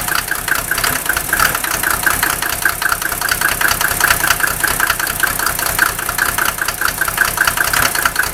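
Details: Mercedes OM603 diesel on cold start, runs very rough and smokes, smoke reduced only when injector lines 2 and 6 are cracked; glow plugs checked OK; uneven lumpy clatter about two beats a second, cause unclear: rough cold idle.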